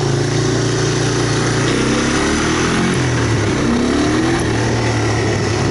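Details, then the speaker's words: 1985 Honda ATC250ES Big Red, previously stalling at idle, after cleaning a clogged passage and the carburetor, choke off: engine pulls cleanly and evenly while ridden, pitch rising and falling with throttle, no stumbling; slight wobble but running well. "This thing's got a little bit of a weeble wobble to it. You know, it's running better than when I first got it started, you know, a month or so ago, so I can't whine about that."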